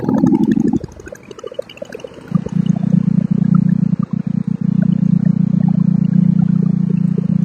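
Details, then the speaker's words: Old Simplicity snow blower single-cylinder engine started on full choke after carburetor cleaning and rebuild; catches and settles into a steady, even putter with no misses or knocks; normal running. "Man, absolutely perfect. Love to hear that sound."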